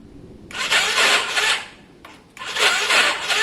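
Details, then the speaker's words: Yamaha Virago after carb work, fuel primed, choke on: two dragging, raspy cranking bursts of about a second each, sluggish and uneven, with no firing. It sounds like a weak battery, but the owner suspects the starter clutch. "I mean it's it's crazy it sounds like a weak battery it's probably definitely that starter clutch"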